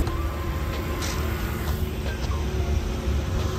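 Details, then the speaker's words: RX-7 13B rotary swapped into a Subaru BRZ, running on the FD RX-7 ECU on its first drive; deep, even low-pitched burble with steady pulse and no misses or knocks, idling smoothly. "sounds pretty mint yeah that's what I'm saying now it actually runs like Smooth"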